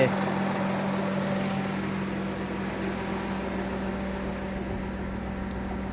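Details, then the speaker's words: Perodua Viva with constantly high RPM and oil leak, running after sensor checks: steady, even idle hum with no knocks, misses or hunting; cold start at about 1100 rpm dropping slowly, considered normal. "Kalau sejuk, kita start dia tinggi sikit sini 1100, terus dia turun sini pelan-pelan. Nah, jadi itu kira normal."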